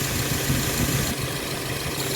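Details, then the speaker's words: 2013 Subaru XV at 66,867 km after new AC compressor, condenser and evaporator: steady smooth idle hum with the compressor cycling on and off normally, no rattles or grinding; high-side pressure under 250, cabin air 8°C. "ตรงตามรุ่นตรงกลางสเปคเดิมนะคะพร้อมตัดค่ะพร้อมทำงานนะคะคอมแอร์ตัดต่อปกติเสียงการทำงานเป็นปกติค่ะ"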